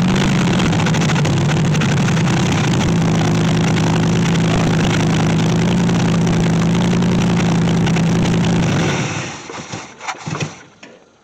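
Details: 1964 Chevy Impala SS Convertible V8, long-sitting project: runs unevenly with a wavering, hunting drone for about nine seconds before shutting off; rough running because ignition timing is still all over the place.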